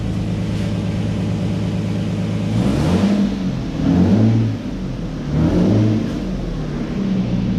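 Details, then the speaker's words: Auction Lexus, first start after repair work for a power issue, with everything bolted up and the car still raised. It catches and runs steady, with three smooth throttle blips rising and falling cleanly and no knocks or exhaust ticking; normal start and rev. "right so it sounds good I'll put it back on the ground and everything get all the stuff moved out the way and take it for a test drive"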